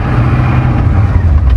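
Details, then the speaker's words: Ford that has had its 460 gas engine swapped for a 7.3 diesel, running on electric fuel pumps and a new regulator: steady low diesel idle rumble with an even beat, no knocks or rattles; sounds healthy. "Sounds healthy though."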